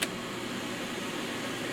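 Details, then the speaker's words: Mid-1990s Holmes HAP-180 air purifier with GE motor, on low speed: soft, steady airy whoosh with no startup sound, rattle or ticking; fan runs smoothly. "So we'll turn on power here. Turn it on. There's no startup sound to speak of. That's low."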